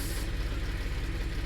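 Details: 2006 Honda Odyssey with no stored codes, at idle: steady quick low pulsing with a faint rattle on top; rattling noise from the engine, source not yet located, cause unconfirmed.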